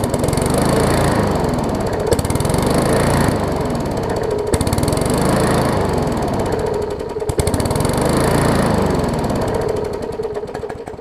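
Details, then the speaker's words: Briggs & Stratton Classic bagger push mower before service: engine chugs unevenly, speed rising and sagging every couple of seconds; owner calls it a classic carburetor diaphragm issue, diaphragm to be replaced. "so that's pretty much a classic diaphragm issue and get it on the bench over there we'll uh change out the diaphragm check the oil and air filter and stuff like that and see what else we need to do with this one"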